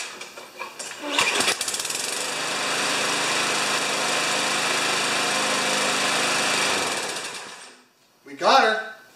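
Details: New Chinese-made 150cc walk-behind mower (primer, no choke): catches and runs with steady, even buzz for several seconds, no rattle or knock, then shuts off; sounds healthy.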